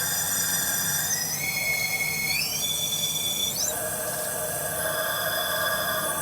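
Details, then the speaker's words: 1995 Toyota Celica GT 5S-FE, cylinder leakage test at top dead center with air compressor pressure while crank is turned: high whistling squeal rising in steps as air escapes; owner suspects bad aftermarket pistons, may reuse OEM pistons. "I think I got a bad set of pistons."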